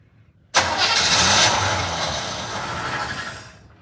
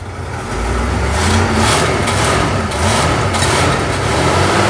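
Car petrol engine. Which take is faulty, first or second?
first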